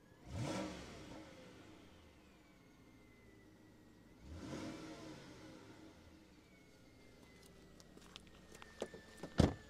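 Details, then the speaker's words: 2007 Volvo S80 V8 heard in the engine bay: quiet idle, and each throttle blip brings a thin, high-pitched whine that rises with revs and falls as the engine settles. "can you hear that weird noise that very annoying high-pitched noise"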